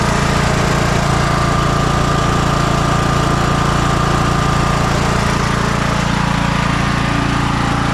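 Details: 2004 MTD Yard Machines Gold lawn tractor, 18.5 hp single, after carb cleaning and an oil change: even, steady chug of about 3.5 pulses a second with no misses or knocks. Normal idle.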